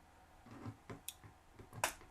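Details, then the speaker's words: Omron H3CA timer after resoldering bad solder joints and oscillator connections, set to 0.2 s: crisp clean relay clicks on power switching, no chatter; normal relay click. "See if we can hear the click. And yes, I do hear the click. That is perfect."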